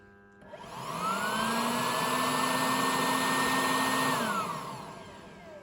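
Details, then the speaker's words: 2005 BMW 325xi (E46, M54B25) after installing a new secondary air pump, activated via scan tool: steady vacuum-cleaner whir spins up, holds even pitch, winds down; normal secondary air pump operation. "go ahead and activate it and just make sure we hear that vacuum cleaner type sound that you typically hear when those turn"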